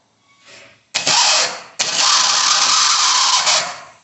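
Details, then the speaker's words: Chevrolet Celta/Prisma/Agile starter motor: harsh high-pitched grinding bursts that keep whirring after cranking; starter drive sticking and slow to retract, usually fixed by cleaning and lubricating the starter. "acontece aqui dentro do do bem dica ele em gripe aí demora para voltar e ficar fazendo esse barulho"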